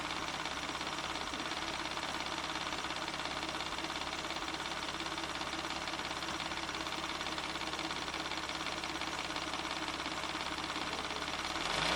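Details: 1994 Ford Probe GT, held at about 3000 rpm: a smooth, even hum with no knocking or rattles; oil pressure reads about 54 psi against a believed 49 psi minimum, low-end but in spec.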